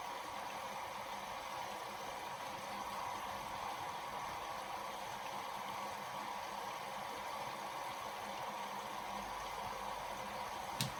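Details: Bosch WFL246SGB/01 washing machine, cold-fill only, easy care 40°C test wash: even uninterrupted hiss of water filling the drum, no knocking or buzzing; fill working normally.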